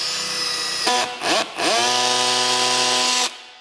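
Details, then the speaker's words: Drill driving screws with its clutch collar set to a torque setting: a steady motor whine drops as the screw seats flush, then the clutch ratchets in quick, loud clicks. It is slipping at the set torque as intended, and the setting can be raised. "es realmente molesto es muy ruidoso pero se puede ver, básicamente, establecer mi cierre hasta la superficie pero no va mas"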